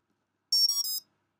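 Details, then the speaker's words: Three quick high-pitched startup beeps played through a brushless motor used as a speaker when the battery is plugged into an Afro 30A ESC, confirming BLHeli firmware was flashed successfully; normal ESC startup tones. "And it's as simple as if you plug in your battery, you should hear the audio three beeps."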